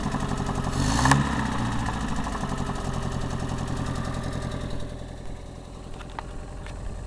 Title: Аро стук двигателя